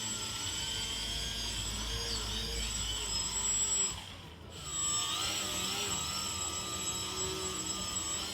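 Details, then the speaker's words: RC 3D airplane brushless motor after the broken red motor wire was rejoined, under throttle test: steady even high-pitched whine at constant speed with one brief dip. The motor now runs normally. "เตอนนี้นะครับเราก็ทำการเชื่อมเสร็จเราเทสเนี่ยจะเห็นว่าใช้งานได้ตามปกติละ"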